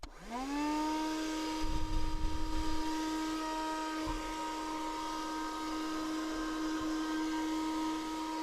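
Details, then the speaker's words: Chezhiku CZK-6604 car vacuum cleaner on the cigarette-lighter adapter, after disassembly and repair of its noisy fan: steady, even motor whine that quickly reaches speed with no scraping or rubbing. Normal running. "Okay, it's very hard to see, but you could hear that now the sound actually it was working quite fine."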